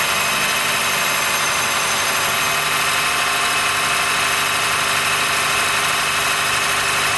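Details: 2013 Honda Fit Hybrid (FIT3, DAA-GP5, L Package) cold start below about 10°C; steady high-pitched squealing and creaking over a smooth idle, strongest in the treble. It stops once warm; dealer saw no warnings, judged it harmless; cause unconfirmed.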